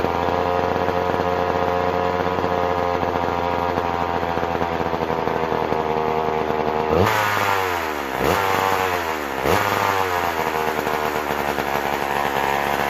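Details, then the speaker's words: McCulloch Power Mac 6 Auto chainsaw, sitting about 30 years, needs crank seals: holds a steady high buzz, then dips and recovers on three throttle blips. It won't settle cleanly and responds poorly to carburetor adjustment. "sounds like we might have to get back in the car there it's not it's taking a tune but it isn't taking it too if you know what i mean"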